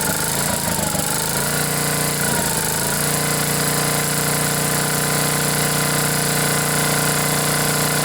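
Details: Generac generator with 10 hp Briggs & Stratton engine after blown head gasket replacement (head bolts 165 in-lb), choke held open: brief uneven start, then steady even run with firm exhaust beat, no puffing or misfire.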